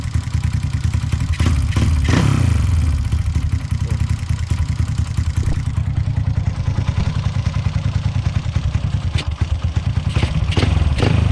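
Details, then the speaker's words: Honda Supra X 125 bored up to 200cc with a PWK 32 carburettor, tuned for daily riding: steady, low single-cylinder idle with even putter, no stumbling, surging or rich running; mixture and idle settings sound right. "Nah ini gua udah dapat langsamnya udah dapat settingan angin udah dapatirnya dapat langsamnya enak nih"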